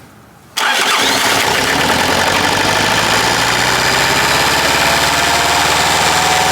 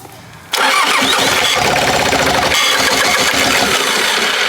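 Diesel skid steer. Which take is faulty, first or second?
second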